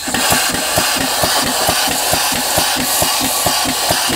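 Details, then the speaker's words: DIY waterjet cutter pump test on 60–80 psi utility water, air cracked open, regulator broken, no valves fitted yet; fast, even thumps about twice a second over loud air hiss as the pump cycles without building pressure. "now the reason why the pressure isn't very high is a couple things number one is again there's no valves here and fan here"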